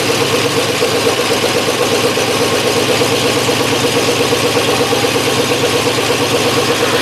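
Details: 1963 Oldsmobile V8 on its first start after reassembly, run indoors and smoking before warm-up and timing: it idles unevenly with a steady ticking miss about three times a second over the exhaust rumble, a misfire.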